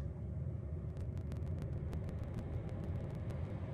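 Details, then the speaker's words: Chinese diesel heater in a van, about 2,100 run hours, just after ignition following new motor bearings and a new exhaust silencer: quiet, even combustion rumble with faint pump ticks and no bearing whine or rattle; much quieter than before. "Yep, there we go, ignited. Yep. Substantially more quiet than it used to be."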